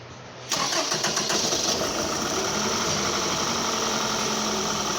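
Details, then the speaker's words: 2009 Toyota Camry after a new fuel pump assembly was fitted: quick crank catches into a busy, uneven, choppy idle; misfire on cylinders 2 and 3, codes P0300, P0302, P0303. "Yeah, at the moment I got a cylinder number 2 and number 3 show full coat misfire."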